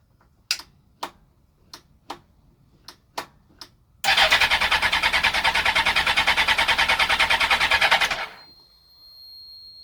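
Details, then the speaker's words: Suzuki GSX-R1000 K2 custom shed build, first start after the rebuild with fresh oil, coolant and fuel; the ignition is cycled to prime the fuel pump. A few clicks and a short crank, then it catches, races briefly and settles to a steady, healthy idle. "I'm just going to turn it on a couple of times to prime the fuel pump, and fingers crossed she might fire up."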